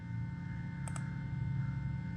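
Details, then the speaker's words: 2007 VW Rabbit 2.5L, fuel pump relay actuated via VCDS output test; two quick faint clicks over steady hum; relay and fuel pump working normally. "okay that's all the way in the back and barely hear that fuel pump relay"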